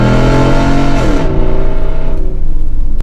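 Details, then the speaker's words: Dodge Power Wagon with newly replaced transmission, after 10 minutes driving: engine note drops then climbs quickly as it kicks down a gear under full throttle; clean prompt downshift. Normal kick-down downshift. "Oh yeah. So as you see, it's still very responsive. Kick down works great. Passing gear. It's good at all speeds, all gears."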